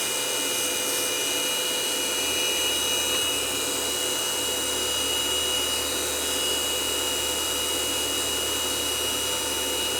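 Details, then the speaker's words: Sony DNW-A30P Betacam SX deck damaged in shipping, playing tape: loud constant high-pitched whirring with a fast rough flutter from the head drum; owner suspects the slip rings were knocked askew by an impact, unconfirmed; abnormal drum noise. "h I don't think that thing's supposed to be making that kind of Racket wonder what's under this cover should just be slip rings but the amount of noise they're making just doesn't sound right"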